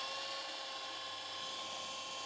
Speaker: I love how fast these Panasonics are at actually fast forwarding